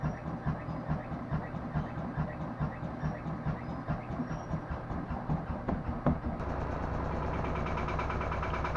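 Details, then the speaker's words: Front-load washing machine at high spin: rhythmic thumping rising to loud steady rumble; drum wobbly and lopsided from cracked spider arm assembly, worsened by wet clothes' weight (bearings first wrongly suspected). "this machine gets to the high spin, you can hear the noise level increase, and that's from the drum being misaligned or lopsided. And because the drum is lopsided, with the weight of wet clothes, is causing the extreme noise vibration in this machine."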